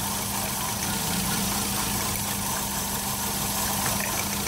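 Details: 2007 Toyota Yaris with multiple misfires: slightly uneven, lumpy idle that doesn't change when one coil is unplugged, showing that cylinder's coil pack is dead; check engine light on.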